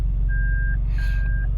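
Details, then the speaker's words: 2002 Toyota Land Cruiser Prado, 5VZ engine, freshly overhauled, idling with the brake pressed and not in reverse: a repeating high single-tone beep, about half a second on and off, as the reverse light and camera also come on. False reverse warning; cause not yet found. "You can see it turns on the reverse camera. Turns on the reverse light and buzzer."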